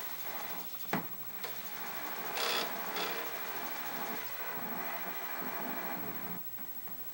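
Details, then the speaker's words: Commodore 128 just powered on in 40-column 128 mode: a steady hiss and buzz with a low mains-like hum under the audio at idle. The noisy audio has an unknown cause and may or may not settle as it warms. "i speak too soon if you hear that that noise it sounds like there are some issues with the the sound on it okay maybe it'll settle down as it warms up or not i guess we'll see"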